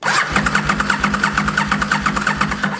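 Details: Aprilia RSV Mille Gen 1 motorcycle, non-start after standing about 10 years: steady starter cranking at about three compressions a second that never catches; spark is confirmed good during diagnosis with a spare plug against the block.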